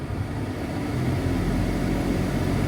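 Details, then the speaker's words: Kenworth T680 HVAC blower motor after repair with new 608D bearings, run at full speed: smooth, even low hum with no grinding or rattle, quiet like new. "it's so quiet now like brand new so now I'm going to go full"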